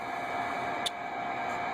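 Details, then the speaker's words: Uniden Bearcat 980 SSB CB radio on the regular 40 channels: a steady electronic buzz under receiver hiss, caused by spurious emissions from the workshop computers. "and that buzzing noise you hear that's the computers here in the uh in the workshop generating spous emissions they're called"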